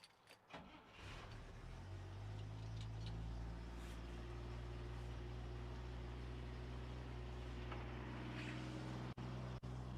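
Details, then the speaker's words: International Harvester 1200 long bed stepside six-cylinder, earlier jump-started for dead battery: brief crank catches within a second, then steady low idle, no knocks; healthy start and idle. "AJ just said he just started it up and it did start up when it was around back we had to jump it because the battery was dead"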